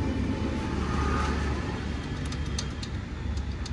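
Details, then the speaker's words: Yamaha R15 V3/V4: running bike with dry, uneven clatter and sharp clicks from the drive chain; owner suspects worn chain set or chain too tight or too loose, chain set to be replaced. "R15 v3 v4 में चैन noise की problem आई है वो कैसे clear कर लेने वही दिखाने वाला हूं"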